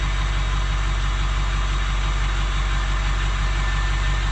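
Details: 2006 Ford F350 6.0 Powerstroke diesel after sitting five to six years, after repairs: steady idle with even low chatter at constant pace, no stumbling, no smoke; normal idle.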